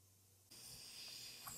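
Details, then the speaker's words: Briggs & Stratton small engine during cylinder leak-down test, about 30-40% leakage, oil fill open: steady airy hiss starts abruptly from the oil fill as air escapes past the piston rings into the crankcase. "feels like most of that's coming past the piston rings"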